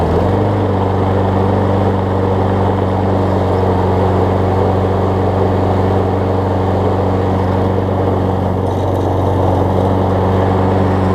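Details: About 25-year-old rear-drive Toro mower after carb cleaned with compressed air: small single-cylinder engine holds a steady, even drone with no misses, surging or knocks; healthy running.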